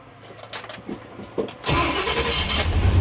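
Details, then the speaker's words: 1957 Chevy Bel Air 2-door: brief uneven cranking, then it fires right up at once and settles into a steady, strong idle; clean, healthy start. "fired right up Headlights oh wow"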